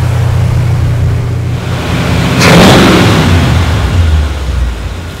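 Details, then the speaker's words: Truck idling down smoothly and evenly after warm-up on high choke, after the original radiator was replaced and transmission fluid was puking out; recorded with camera-top microphone before the transmission check; normal idle. "you'll listen and you'll hear the truck just idle right down, so it's nice and smooth."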